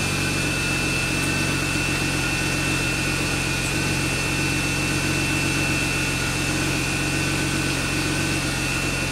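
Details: BMW E36 idling after its first start since frame-rail repair, before the AC work. Even, settled idle hum with a faint steady high whistle, no knocks or misses. Engine running fine.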